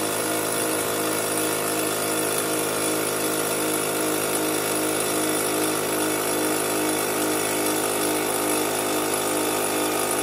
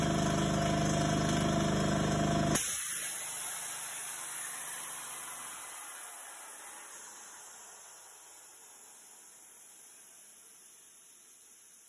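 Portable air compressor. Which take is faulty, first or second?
second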